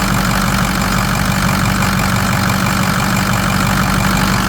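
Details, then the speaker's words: Ford F-350 6.0 Power Stroke diesel: even, steady idle clatter with no misses or surging; owner has seen no issues. "been running good I really haven't seen no issues"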